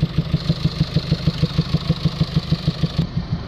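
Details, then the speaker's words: Late-2019 Mercedes Vito Euro 6 diesel taxi with EGR low-flow fault P300A7A persisting after a new part and DPF faults, idling: rhythmic heavy chuffing at the intake, about three puffs a second, like exhaust gas blowing back out of the inlet manifold; DPF found cracked. "it sounds like it's it's uh producing exhaust gases coming back out from the inlet manifold get that distinctive sound where you can hear exhaust gas coming outwards of the inlet the air intake"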